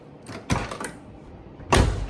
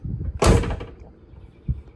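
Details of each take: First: 1969 Olds 442 convertible front door after new door panel and water shield fitted: latch click and rattle, then one firm, deep shut; the earlier clunk is now hushed. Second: 1969 Oldsmobile 442 convertible door being slammed during a door panel replacement: solid slam with a short buzzy after-rattle and a faint knock; owner suspects the door glass moving around inside the door.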